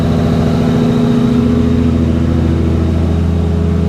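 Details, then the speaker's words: Nissan Skyline R33, RB25DET, after tightening turbo oil return and other leaks before tuning: first start gives a steady, even idle with a faint turbo whistle as it spools; sounds healthy. "Alright, so car fired up first time, which is awesome, obviously. Check out that turbo spooling in there. That thing looks beautiful, sounds good."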